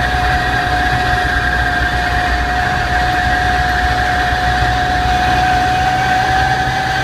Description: The noise is only there with my foot off the clutch and when accelerating.